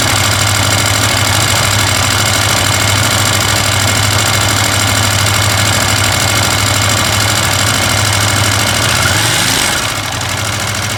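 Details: KTM 890 Adventure R twin-cylinder motorcycle idling with a busy metallic rattle over the engine beat; rattle gets quieter when riding; owner asks if normal.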